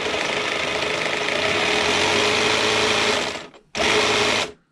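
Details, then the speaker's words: HB Toys ZP1003/ZP1004 cheap RC crawler on stock electronics: high, harsh buzzing whine steady at throttle, then cuts and restarts briefly; owner thinks the electronics make it sound angry, though it runs fine. "one of the complaints of did get on the lawsuit not so much a complaint but questions was the noise it makes because I think with the electronics in the area this certain watch sounds quite angry done there but it runs fine"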